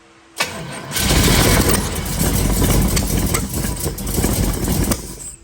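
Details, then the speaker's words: Built 383 full-roller V8 in a 1932 Ford Highboy roadster, start after fitting EMPI 8-stack IDF carbs on a Pierce manifold; fires and runs ragged, lumpy and uneven, ignition timing still off and needing adjustment. "it's not happy but it is running per se go ahead it's not happy at all go ahead go ahead go ahead timing is definitely still off so we're going to have to adjust the time it again"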